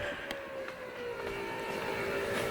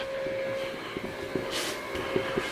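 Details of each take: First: Factory Five Mk3 with 4.6 DOHC before first start, fuel pump running via jumped relay: steady pump whine, strained, rising in pitch as regulator is backed down from 55 psi toward 43–44 psi; excessive fuel pressure loading the pump. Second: Factory Five Mk3 roadster with 4.6 DOHC before first start: faint steady high fuel pump hum under light clicks; pump runs smoothly and the regulator holds steady at 43 psi.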